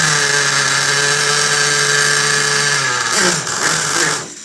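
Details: Restored vintage Italian 1/4-scale RC motorcycle with a Picco 21 nitro engine, second start of the day. High, steady buzzing drone winds down as it cuts out. Runs cleanly, though the tick-over needs sorting because it stalls when the brake is applied.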